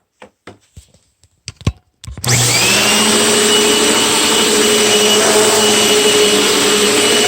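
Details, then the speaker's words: Very old Panasonic Performance Plus Platinum vacuum cleaner from Goodwill: handling clicks, then motor spins up to a steady, high, even whine with no rattles or surging; runs and cleans normally. "It kind of sounds okay, but it works and it cleans up the floor and carpet."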